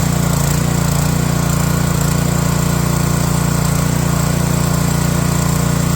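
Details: Pressure washer after a cold start, with the choke released slowly and the throttle turned up: a steady, even single-cylinder chug with a constant low drone, no misses or hunting. Running smoothly.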